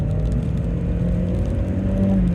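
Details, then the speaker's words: 33-year-old VW Mk2 Golf GTI 16v, fully warmed, held at 4,000–5,000 rpm; smooth even hum, no misses or knocks. Normal high-rev running. "The rev range on these things is just insane. It's awesome for 1990s cars."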